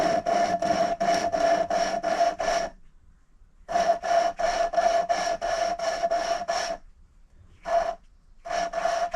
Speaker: Now what you do is you listen really carefully, and you'll hear the grinding noise, and it will go quieter and quieter to almost silent. Once it gets to almost silent, you know that you're done.